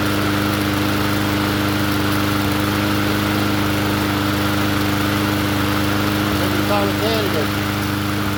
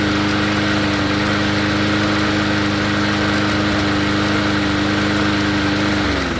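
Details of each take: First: Poulan push mower engine swapped onto another 20-inch deck, running after the swap: steady, even drone with no surging. Slight recoil chatter from a weak pawl spring. Normal running. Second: Poulan push mower engine swapped onto another 20-inch deck: steady high engine note with a light rapid chatter, then revs fall away; governor spring has lost tension.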